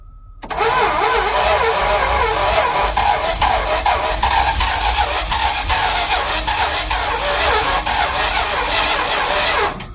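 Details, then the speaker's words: Big-block Mopar 400 twin-turbo build with EFI, oil pump drive gear pulled, battery low; starter cranks steadily about nine seconds with uneven puffs and sputters but never catches; owner suspects timing is off, not confirmed. "I mean, it act like it wants to crank, but it definitely ain't cranking. I know the timing's got to be off, but I don't know."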